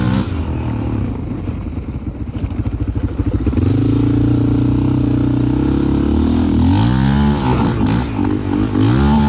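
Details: 2001 Yamaha Raptor 660 with Hotcams stage 2 cams, new carbs (same fault with old), parking brake, reverse, clutch and neutral switches bypassed, cam timing not quite perfect: stutters unevenly at low rpm, then smooths and pulls cleanly as revs climb; low-rpm misfire, cause unknown.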